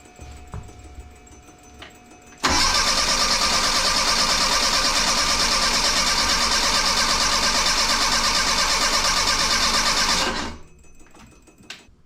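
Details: 1984 Bertone X1/9 with engine back from the shop and new fuel pump holding about 36 PSI, spark confirmed; about eight seconds of even cranking, roughly three beats a second, no firing. Later diagnosed: three bad fuel injectors.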